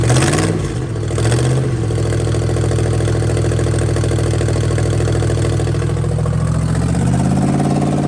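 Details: 1969 Chevrolet Caprice 427 V8, 4-speed, sitting since 1988, just revived on a gas can; blips up then settles to an uneven, lumpy idle; rough running, owner suspects stuck lifters.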